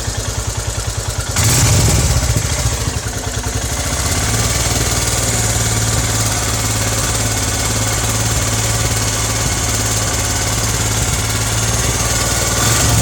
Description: The engine sounds pretty thrashy and a weird whistling/chi chi/qui qui sound starts when the engine is nicely heated up after a decent ride. The sound is audible only during idling.